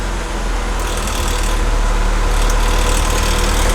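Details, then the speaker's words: Engine's first start after the cylinder head came back from the machine shop, crank pulley not yet torqued and lower left torque mount off, with solid motor mounts; smooth steady idle, no sputter, misfire or ticking; running healthy, small coolant leak suspected under the intake manifold. "let's start it and it started first try and it sounds awesome nice and smooth and not sputtery anymore so let me give you guys a peek sounds very very happy"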